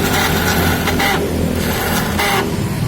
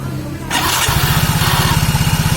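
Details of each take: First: Soul GT scooter electric starter, ignition on: repeated high whirring bursts as the starter spins freely without turning the engine over; mechanic suspects worn starter clutch rollers not catching. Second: Soul GT scooter after repair, roller holder and front CVT reinstalled, repeat start: brief starter whir, engine catches into steady even idle thump without slipping; cause was an old compressed starter clutch spring not returning, rollers fine.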